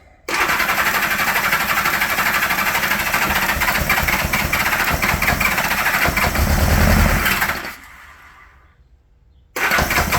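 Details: 1975 Honda GL1000 Gold Wing flat-four, first start after water pump reinstallation with new gaskets and O-rings, catches quickly and settles into a smooth, even idle, a bit high on choke, no knocks or misses; no leaks and much less smoke: sounds healthy.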